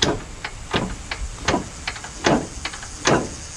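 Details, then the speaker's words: Lawn tractor with blown V-twin, engine turned slowly by hand: loose free play then irregular hard clunks about once a second, no compression on either cylinder; both connecting rods broken. "so it's definitely busted connecting rod um and then on this side too see so it's not like you hear any compression on one like maybe only one's busted they're both busted"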